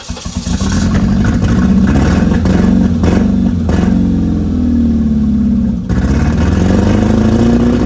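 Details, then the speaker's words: Stock engine of a 1996 Ford Escort before removal for a K24 AWD swap, described as old and tired: loud, uneven, clattery, tractor-like running with a lumpy rhythm that stumbles when revved; rough running engine, cause not identified. "this thing is hilarious it sounds like a trap tractor is so loud and it runs so rough sounds like an old tractor"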